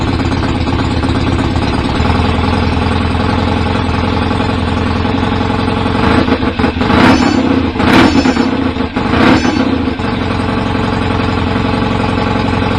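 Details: BSA A50 twin bought as a non-runner, first ever start with newly fitted pattern open pipes, needed throttle to fire: loud, slightly uneven idle with a few throttle blips; owner suspects timing slightly off, to check with strobe; rough idle.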